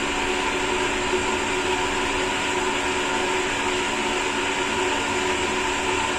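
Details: Sanyo/Shimizu jet pump newly installed by another repairman, vertical pipe run: steady motor hum with even hissy, gravelly rush, slight cavitation ("snoring") at full-open flow; discharge throttled back to quiet it, under 20 PSI.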